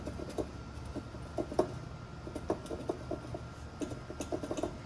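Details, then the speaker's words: GM Onix/Prisma/Celta/Corsa strut assembly rocked by hand: faint, irregular light knocks from play in the worn, enlarged strut top mount rubber, causing suspension knocking over rough roads. "então a borracha isso essa folga esse buraco alargada bosta fica batendo aqui e fazendo um barulhinho você escuta bem baixinho mas é esse barulho batendo"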